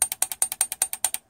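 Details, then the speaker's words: GM 4L60E automatic transmission shift solenoid on the bench without air after flushing, resistance within spec: crisp, rapid clicking about nine a second, operating normally, while troubleshooting limp mode stuck in 3rd gear. "you can see even without air I can you can hear it clicking"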